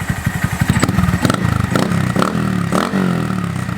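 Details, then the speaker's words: Honda Monkey with a Yoshimura SA-18-K low-volume spark arrestor insert, warmed up, in the shop: quick, crisp throttle blips with a fast, even firing beat and a muted, mellow exhaust. Healthy, and not as loud as the earlier insert. "That's loud. That's loud. That's not as loud as before."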